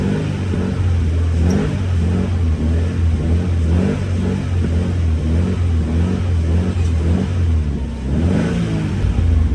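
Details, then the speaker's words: FR-S during scanner alternator test, in park with headlights on, revved to about 2,000–3,500 rpm: smooth rise and fall through a few steady revs, no knocks or whines; alternator and battery passed, engine healthy. "It has gas from about 2,000 to 2,500 and 3,500."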